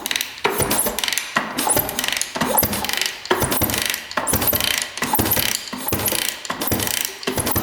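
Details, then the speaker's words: 1989 Honda CR250 two-stroke dirt bike that had been sitting, turned over by hand after adding two-stroke oil: slow, even rasping strokes about every three-quarters of a second, no ticking or knocks; engine spins smoothly. "really smooth foreign yeah that's really smooth I'm not hearing any ticking any sounds all right that sounds great"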